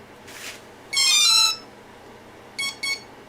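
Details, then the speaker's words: Parallax Elev8 quadcopter ESC powered up with throttle at full: clear high tones, a long musical beep then two short beeps, entering throttle calibration; with throttle pulled down it gives three beeps then one, calibrated. "now we will power up here that beep Now we move the throttle all the way down here three beeps one beep that's it that one is calibrated"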